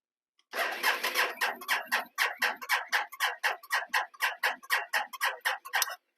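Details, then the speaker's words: Can-Am Outlander 800 XTP ATV, 5,200 miles, after tightening loose battery terminals: slow cranking about two compression beats a second without catching, fuel pump heard priming; no start. "almost was start it did sound like it was turning over slow there so we're going to go ahead hook a jump pack up to it and see if that makes a difference still nothing here nothing so right now it's not starting we can hear the fuel pump kicking in"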